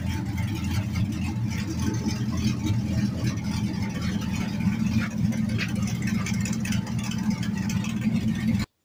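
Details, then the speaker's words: LS-swapped 1948 Ford F1 on open straight pipes off headers, still on the stock tune meant for mufflers and catalytic converters. Loud, deep V8 burble with an uneven, lumpy idle: rough running; owner suspects it is lean from no back pressure. "it's obviously not running quite right um I think one of the main reasons is because it's still got the stock tuned for the muffler and catalytic converters full exhaust"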